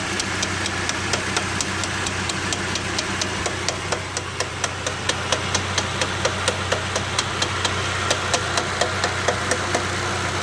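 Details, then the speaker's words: GAZ 2790 van just converted to LPG, warm at idle after driving, indoors: sharp metallic bell-like knocks about two per second, coming and going over steady idle; owner suspects connecting rod or piston slap, engine may need opening. "Вот посмотри пожалуйста вот этот звук вот этот идиотский что это такое Вот это опять Шатун или что вот он то проходит то появляется"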